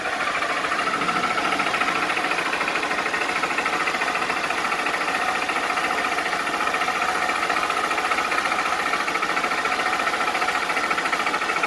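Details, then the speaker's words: Honda Bros 160 motorcycle engine running at steady speed: a hard, dry, rapid knocking over the engine's usual valve clatter, which is not normal; abnormal engine knocking. "Mano esse motor 160 já é barulhento tá ligado mas esse barulho assim batendo seco desse jeito não é não é normal não tá ligado rapaziada"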